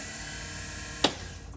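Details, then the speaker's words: 2008 Club Car Precedent with Kawasaki FE290 engine gives a steady high whine while cranking, cut off by a click: a loose belt lets the starter-generator pulley spin without turning the engine; belts replaced. "So that sound there tells me that the generator, starter generator, this device here, that pulley there is spinning when we go to try to crank the club car."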